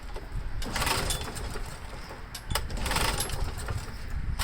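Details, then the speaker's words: Briggs & Stratton Quantum lawnmower engine, run out of gas a year ago: rough pull-cord rasps with sputters, never catches; owner suspects bad leftover gas and a dirty carburetor needing cleaning. "I know last year I did run it and I ran it out of gas but that doesn't mean anything could have been if there's still some gas left in the uh mold that went bad so I guess it's going to be a carburetor cleaning and a"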